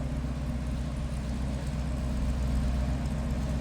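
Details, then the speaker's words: 1949 Buick Super Convertible inline-eight, heard from the rear at idle: low, soft, even burble with steady firing, no misses or ticking; quiet, healthy normal idle. "That inline 8 is pretty quiet."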